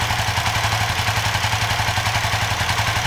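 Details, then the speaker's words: Suzuki FU FI 150 / GSX 150 with faulty tip-over sensor bypassed by a 3K resistor across output and ground, reading 1.2 V: steady even idle with regular exhaust pulses, no misses or knocks; runs normally. "Oke, sekarang kita nyalakan, kita ukur. Nah ini 3K, ini mau nih, kan 1,2 nih, ini mau kan, nyala normal."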